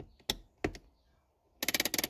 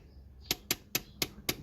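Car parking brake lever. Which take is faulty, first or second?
first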